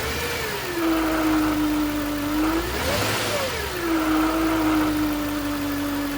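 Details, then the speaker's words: 2009 Range Rover Supercharged 4.2: a thin steady whine over the engine rises and falls with revs; the supercharger was first suspected, but probing the alternator housing pinpointed the whine there, a failing alternator. "It was obvious that that's where the whine was coming from."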